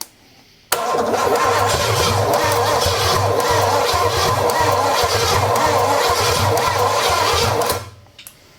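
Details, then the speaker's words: Engine with a Quadrajet carburetor fitted in place of the Edelbrock, fuel system and tank hooked up and gas poured down the throat: cranks with an uneven, loping gallop about 2.5 beats a second, puffing smoke. "happens sounded promising that or it's got a Gallop to it"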